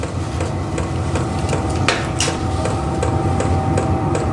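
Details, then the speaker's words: Vevor portable diesel heater on low setting, slowly building up through startup with air not yet hot: even fuel-pump ticking two or three a second over a fan hum. This is a normal startup. "no hot air yet there's air coming out but it's it's not hot yet it's still going through a startup procedure can hear it starting to crank up now"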